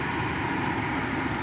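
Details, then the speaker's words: 2010 Suzuki Grand Vitara after repairing the AC blower motor power stage (previously no air from vents): steady, even fan rush with speed adjustable, no ticking, grinding or squeal; blower running normally. "the speed of the motor we can we can even turn it off no wind we can turn it back on and start the motor"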